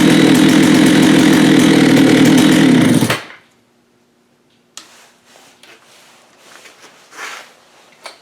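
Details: Vintage Jonsered 80 chainsaw after a carb kit and diaphragm change: strong, even two-stroke buzz held about three seconds, then a clean shutdown; runs smoothly.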